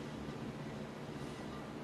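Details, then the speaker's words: Tilt deck trailer wheel after new brake assemblies were fitted and the bearing preload was set with the castle nut: quiet, even whir with no play or clunk, plus a faint brush of slight brake drum drag; healthy. "only thing you can hear right there is the the drum the brakes dragging just a little bit"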